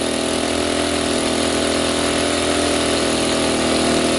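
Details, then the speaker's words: Sportsman 800 W running / 1000 W surge inverter generator running a coffee pot at its maximum load: steady, hard, buzzy full-speed drone, overload light blinking, until the overload protection trips and shuts it down. "so it hasn't kicked yet there it did that was it so the overload for Tech did its job like it's supposed to it overloaded it shut it down"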